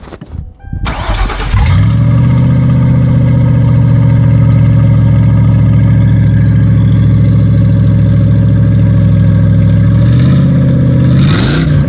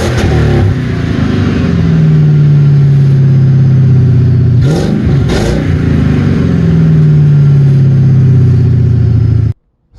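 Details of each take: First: Ford Crown Victoria before its exhaust was finished (cherry bomb mufflers, gutted cats), the "before" sound: it cranks, catches and settles into a loud, deep, raw-edged idle. The exhaust is open and not yet fully fitted. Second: Ford Crown Victoria after the exhaust was finished with cherry bomb mufflers and gutted cats: a smooth, low, even drone that swells on a couple of throttle blips and falls back without popping or rattles. It runs mellow and normal.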